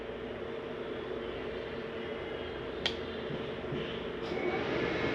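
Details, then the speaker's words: 2022 Forest River XLR Boost 32RZR14 RV: furnace switched on at the hallway thermostat right after the AC test, giving a steady, even rush of air with a low hum and light clicks. The heat fan takes a few minutes longer to shut off than the AC fan. Normal furnace blower operation. "Now there's your heat on. There you go. Shut your heat off. You'll notice that it takes a few minutes longer generally for heat fans to shut off than AC fans."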